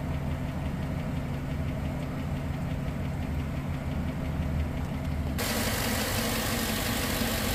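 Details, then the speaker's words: Engine at idle during an oil-additive (Prolube) test: a faint, loosely regular tick about three times a second over the engine, still present after a couple of minutes of running. "well it's been a couple minutes I still hear it"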